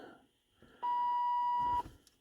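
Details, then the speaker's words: 1980s Lincoln Town Car door warning chime, key in run: steady high beep for about a second as the key switch contact is disturbed; broken plastic contact piece suspected as the fault. "okay I admit that the Beeper gets a little Annoying"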